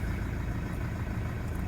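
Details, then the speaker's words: 2008 Toyota Land Cruiser Prado 120, 1KD-FTV diesel, about 182,000 km, probably original injectors, cold start; deep slightly uneven chugging idle, load about 30% cold, expected to settle when warm; rough idle, cause unconfirmed. "Bit of a rough idle there I'm feeling."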